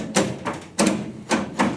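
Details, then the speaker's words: Jeep Scrambler with 258 dual-carb engine, custom automatic transmission shift linkage; five crisp, solid clunks as the lever steps park, reverse, neutral, drive, second, first and back, detents audible, no rattle or slop, normal shifter detents. "There goes reverse, neutral, drive, second gear, first gear, back up again. You can hear the detents."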